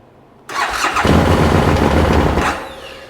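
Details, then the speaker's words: 2013 Bennche Spire 800 side-by-side, cranked off a battery with fuel pump priming heard: fires roughly about two seconds, then winds down and dies; starts then stalls, cause not yet clear. "Not saying it's going to fire up. I hear the fuel pump. Up, fired for a second."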